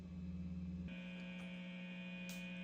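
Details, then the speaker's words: Quiet, steady low mains hum from a guitar amp at master volume in the middle, reduced power, guitar plugged in with a shielded instrument cable: the normal, very faint residual buzz. "let's check the volume now so I do here kind of a little more [Music] like very faint faint Buzz"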